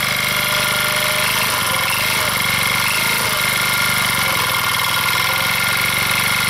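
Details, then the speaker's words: Old motor scooter of uncertain make (possibly Kinroad or Kiner), hand-started because the battery is dead: fast idle with a tinny rattle and light ticking. It runs well, but the owner suspects a rod or a spun bearing. "something's rattling so they run runs well so something up in here is rattling and banging and I'm not quite sure"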